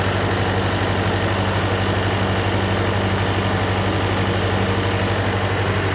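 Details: John Deere 401C diesel at steady idle, with a cracked block and suspected liner O-ring leaks. Lumpy, uneven beat. A temperature gauge shows cylinder 3 dead while 4 and the others are hot, so the dead cylinder is traced to a faulty injector.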